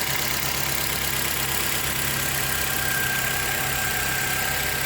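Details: 2010 Nissan Altima 2.5 petrol engine idling after oil change and intake cleaning, earlier misfire cleared once burned-off oil was gone: steady, even idle with no misfire stumbles or knocking.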